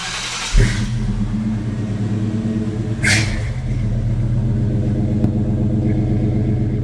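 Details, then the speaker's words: Grandpa's old V8 truck at startup after new exhaust and mufflers replaced rotted ones; deep even rumble, noise only out the tailpipe, though passenger-side donut gaskets leak a little; normal exhaust sound. "All the noise is coming where it should."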